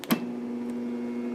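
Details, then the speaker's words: Late-1990s Kenmore Ultra Wash dishwasher with a failing motor, after the thermal cutout tripped: a click, then a steady low hum with no spin-up; the motor is trying but fails to start, with the motor and control board blamed. "hums. The motor's trying to start. This thing is like encased. It can't. And the thermal's out."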